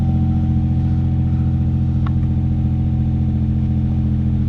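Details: G35 after cleaning a MAF sensor that had styrofoam stuck in it (limp mode, torn intake boot replaced), clutch in, neutral, warming up: a steady, even hum with no misses or surging; smooth, healthy idle.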